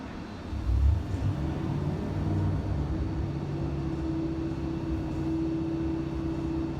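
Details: Junkyard 5.7L Hemi with Comp stage 4 cam, S475 turbo, long-tube headers, intercooler, 80 lb injectors, dyno pull with boost controller raised to about 7 psi: deep even V8 rumble building under load, no knocks; healthy turbo pull.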